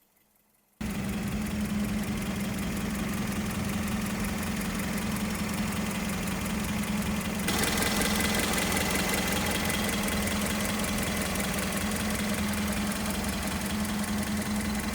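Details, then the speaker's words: 1989 Toyota Starlet 1.0 XL, 3-cylinder 1000 cc carbureted engine, 299,000 km, idling evenly with light quick sewing-machine-like valve clicking; normal healthy valve tick, extra fan running. "Suara katupnya itu kayak mesin jahit itu masih kedengeran banget, klik klik klik klik klik kliknya, segernya tuh masih terasa banget."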